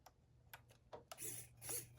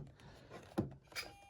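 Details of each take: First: Servo works. So we're connected. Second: Small combat robot with new Turnabot ESC/receiver/mixer, wedge pressed all the way down: a click, then a thin steady whine as the servo strains, stalled at the end of its travel in the up position.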